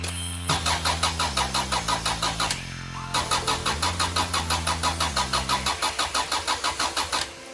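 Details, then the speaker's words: Honda B18 engine bought as eBay "race" spares-or-repairs, claimed high compression, cranking on starter: brisk even beat about three per second, strong equal pulses; compression test results point to high compression. "We were looking for high compression, and with those compression test results, I think we've got it."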